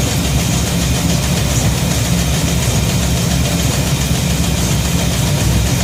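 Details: Shop truck carbureted engine idles smoothly with no misses or hunting after a fuel system overhaul (fuel pump, regulator, filters, intake gasket, carb spacer; 3.5 psi fuel pressure); no gas or water leaks, and it runs pretty good.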